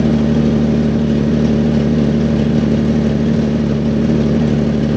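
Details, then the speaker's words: 1996 Jeep Cherokee XJ 4x4 bought from a police impound, idling after starting by jumping the starter because of an ignition fault. Steady idle with a rough, puffing edge over the low rumble: sounds like a pretty bad exhaust manifold leak. "obviously it sounds like it's got a pretty bad manifold lead"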